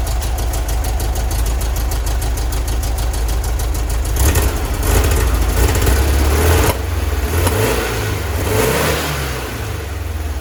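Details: 1966 VW Split Bus dual carburetors after drilling mid-range jets to 60: lumpy idle, throttle blips where revs stumble briefly before climbing; slight acceleration hesitation remains, accelerator pump adjustment next, possibly 70 jets.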